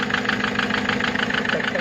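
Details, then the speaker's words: Mahindra XUV500 diesel at idle: sharp even tak-tak knock about six times a second over diesel clatter; mechanic says pistons are damaged and slapping, engine to be removed and opened. "इसका piston है वो मार खा चुके हैं, यानी कि piston side हो चुके हैं।"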